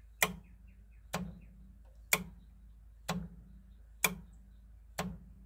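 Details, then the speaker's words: 1985 Club Car golf cart, newly fitted speed-control solenoid replacing a scored one, wired to a voltmeter: crisp identical clicks about once a second with consistent voltage on every click. The solenoid is switching cleanly. "now you can see what the new solenoid put in we have the same wires hooked up to the voltmeter and now it's very consistent every time it clicks you get the voltage"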